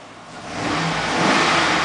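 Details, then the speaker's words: 2006 Chevrolet Express passenger handicapped van with 5.3 V8 and automatic, revved through the open door: pulls smoothly from idle through a clean even rev with no ticks, knocks or whines, no warning lights on; healthy engine. "right that's just me revving the engine I want to make sure you saw that it was in cars running and there's no issues with it"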